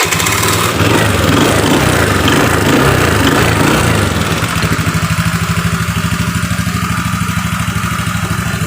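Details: Honda Beat FI scooter after repair of worn decompression lever (which caused heavy electric and kick starting) and broken idle air screw: engine catches, revs briefly, then settles into a quick, steady, even putter; normal clean idle.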